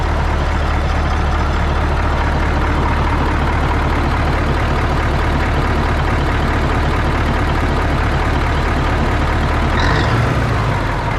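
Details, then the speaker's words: 1980 Peterbilt 359 EXHD with Caterpillar 3408 diesel, revived after sitting for years; deep, even rumble holding steady at idle, no misses or knocks, healthy idle. "hella sketchy. I can't believe the damn thing runs, dude."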